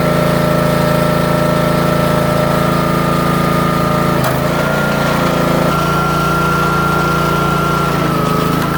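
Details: Troy-Bilt/MTD 27-ton log splitter, about 120 hours, after its control valve (believed Energy 326890) was repaired and fluid refilled while purging air: the small engine holds a steady hum, pitch sags briefly under hydraulic load then recovers, with no knocking.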